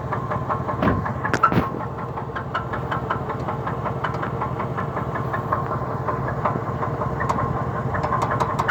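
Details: 2003 Cadillac DeVille at a rough idle on a morning start, with the engine stalling and the exhaust shaking: an irregular light knock just under two per second with faint squeaks riding on it; cause not determined.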